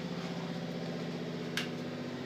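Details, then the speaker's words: Washing machine running far louder than usual, likened to a plane taking off: loud steady droning roar with low hum and even rumble; abnormally loud, cause unknown. "Sounds like a plane's trying to take off. That's not normal. That is really, really loud."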